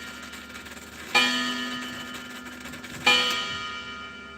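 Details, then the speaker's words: Chiming clock whose movement runs but doesn't tick and otherwise sounds like a coffee grinder: two clear bell strikes about two seconds apart with only silence between, no ticking heard. "So it does actually it doesn't tick but it does the movement runs."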